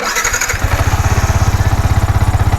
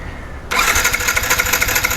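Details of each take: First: Yamaha R15 V4 with a hard-starting, rough misfiring complaint, after cleaning, refitting and refilling oil with spark now strong: starter cranks in quick even pulses, engine catches at once and revs cleanly; normal start, MIL lamp still lit. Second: Yamaha R15 V4 with misfiring and starting complaint, new ignition coil fitted: starter spins engine briskly in even fast churn but never catches; no current or spark, traced to metal dust on the pickup coil.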